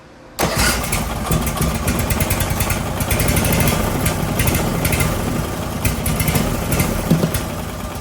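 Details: Briggs & Stratton 18 HP Vanguard, second start attempt after swapping the fuel pump: starts, then sits at a rough steady low speed that never climbs; user error, the governor arm was pushed instead of the throttle.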